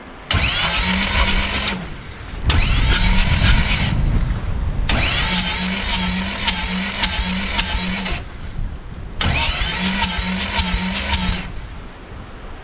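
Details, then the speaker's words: Fisher Spyder hillclimb car, Arden 8-port alloy head, after failure at Barbon Hillclimb; still missing and spitting back through a venturi, cranking with uneven beat, cylinders 3 and 4 showing no compression versus about 190 on 1 and 2; owner suspects blown head gasket. "Right. as uh three and four both seem to be doing the same sort of thing. I'm suspecting we've blown the head gasket."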